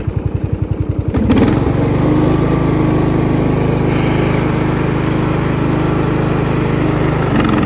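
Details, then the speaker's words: Craftsman 917.273760 15.5 hp riding mower after valve adjustment, cutting grass in low speed: a few cranking chuffs, then a steady, even drone with the blades cutting and no bogging or misfire; normal running under load. "yeah no problem that's cutting good"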